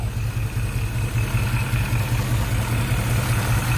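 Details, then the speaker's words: Shelby GT500 Mustang V8 at idle after sitting about a week, oil pressure reading about halfway, no PCV hookup: steady low idle with faint thin whirring; owner suspects worn water pump bearings. "the only thing you can hear is bearings in the water pump blow by"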